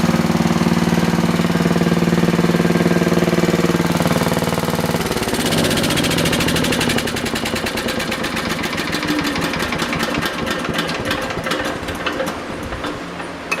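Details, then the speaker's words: Universal 2500 W generator, revived after 5 years with cleaned points, running with a drill as load: steady even beat, no sag or hunting when load comes on; normal running under load. "That's how it should be running. Doesn't even notice it really. Just a little bit."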